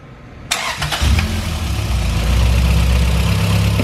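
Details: Honda Civic hatchback with built high-compression B-series (B18C) engine, Skunk2 valvetrain, cam gears, ported intake manifold, custom 4-1 header, twin-loop exhaust, daily driver, in for timing belt/water pump/plugs/fluids maintenance, engine already warm: quick crank catches at once, settles into firm even idle with light rev, no knocks; healthy start.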